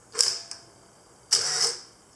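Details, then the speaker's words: Olympus OM10 FC set to manual with power winder, one-second exposure: a crisp shutter click, about a one-second pause, then a short whirring burst as the winder advances the film, working normally. "now if we go to manual i have to move this little lever over to the manual setting so here's a one second exposure"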